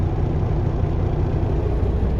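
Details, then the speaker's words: 2006 Peterbilt 379, CAT C15 MXS 650hp, after external wiring harness replacement for a miss/shake at idle, cold start: deep, even rumble with no stumble or skip; normal idle, though shake usually appears warm. "wait for all the gauges fired right up always a good feeling"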